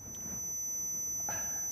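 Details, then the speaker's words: Computer: a thin, constant, very high-pitched electronic whine over a quiet room. It is notoriously hard to isolate; old CRT monitors were the most common cause. "the noise that you may or may not be hearing is a really high-pitched wine which is probably why your dog's going nuts right now this can be caused by a number of things and is notoriously difficult to isolate"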